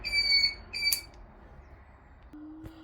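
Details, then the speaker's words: Honda GL650 Silverwing indicator flasher relay makes a thin, high whistling/singing noise in short bursts with each flash; a knockoff unit, cured by fitting a replacement relay. "It's that side. I'm not sure it should be making that noise."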